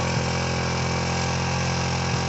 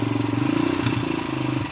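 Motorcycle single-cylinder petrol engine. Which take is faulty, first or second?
first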